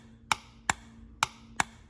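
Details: Ford E4OD/4R100 transmission solenoid pack on the bench, each solenoid grounded in turn: four crisp, sharp clicks about every half second over a faint hum as the check balls seat and unseat cleanly; the solenoids are working mechanically as they should.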